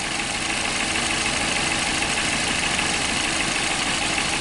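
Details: 2007 Toyota Corolla (Fielder) rough idle with no check-engine light, codes P0335, P0302, P0304: uneven stumble about three times a second under a hissy note. Cylinders 2 and 4 misfiring, number 4 worst with high spark kV and no burn time; grayish dust found on the coils.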